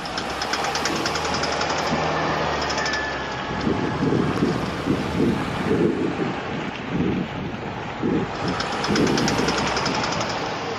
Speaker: is what a bad CV joint sounds like. You hear that noise the most when you're making a turn, and especially if you're trying to accelerate.